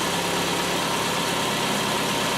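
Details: 1996 Nissan Altima 2.4L, first start after reinstalling the distributor in its original position and fitting a new valve cover gasket to fix a major oil leak: steady, even idle with a smooth hum and no knocks, ticks or misses; normal idle.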